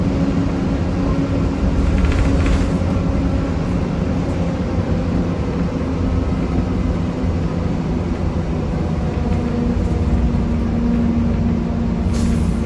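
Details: 1993 Gillig Phantom 35' bus, Cummins ISM engine, Allison B400R transmission, onboard: constant hard-edged drone and grind under road roar throughout, little change with speed; loud grinding noise, owner suspects transmission, unconfirmed.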